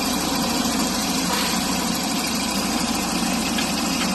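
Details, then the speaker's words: Volvo 740 with newly fitted Isuzu NPR intercooler, idling: light, quick ticking runs steadily over a rough, tractor-like idle and keeps pace with the engine; source of the tick not identified. "yeah i know like the crown has a little like tick tick tick tick tick tick tick tick tick tick oh [ __ ] what is it what's this"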